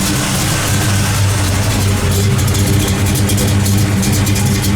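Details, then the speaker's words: 1973 Camaro Z28 V8 just started after swapping stamped-steel rockers for full roller rockers, timing set close: deep even idle with a crisp crackle from each cylinder firing, no valvetrain ticking; healthy. "You hear that nice little crackle? That's what you like to hear. You can hear the individual cylinders firing."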